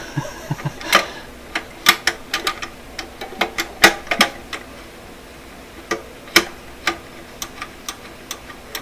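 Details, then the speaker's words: Korting German console record changer: with the overarm sitting too low, the trip switch makes sharp, irregular clicks, as if records were dropping. Record changer trip switch clicking. "the switch can you hear it yeah it's coming down too far so most record players the over arm is held up high enough that the record player thinks it's dropping records not this one though"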